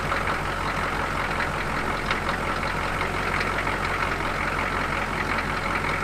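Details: Squarebody Suburban diesel after sitting a couple of months, started following starter replacement: even low rumble with light steady clatter, speed constant without surges or the feared runaway; normal idle.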